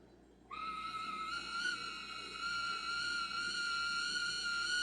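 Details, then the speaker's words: Miniature DC motor from an old Mr. Christmas Santa's Marching Band, spun at two volts on the bench, starts with a steady high-pitched squeal that edges louder; a dry or binding motor is suspected. It pulls 1 A one direction at three volts, 400 mA the other. "so there we go it does turn so that's two volts and i am spinning ooh that sounds horrible i don't know if you can hear the squeal that's one direction let's try the other"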